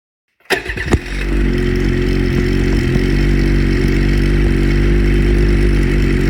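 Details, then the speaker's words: Brand-new 2022 Ski-Doo MXZ XRS E-Tech two-stroke snowmobile, exhaust sound: crisp start, then a steady, even two-stroke burble at a settled idle with no knocks or misses. Normal running. "Now that you've heard the 600 and 850 E-Tech exhaust sounds, I hope you enjoyed our video"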